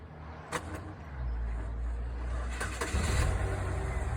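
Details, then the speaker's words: Car that turns over slowly, with the ignition key needing to be played with to crank. The starter has gone about four years without replacement and the owner suspects it is failing. The starter turns over sluggishly, about three labored beats a second, before it catches: slow cranking. "see that it cranks up slow and also they got to be the starter and all that making the car not want to crank up"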